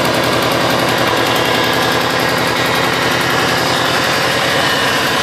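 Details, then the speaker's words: 2005 Subaru Impreza WRX after front-end wreck rebuild, cold idle slightly below its usual 1500 rpm, 70 psi oil pressure, 18 inHg vacuum: rough, uneven beat with sharp ticking from one side, a badly leaking exhaust header, fixed by a new header. "Sure you can hear the ticking coming from this side."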